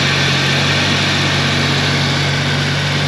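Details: 1991 Jeep Comanche after replacing a broken distributor rotor and a tune-up with regapped plugs; steady, even idle with a constant low hum and no misses, knocks or stumbles.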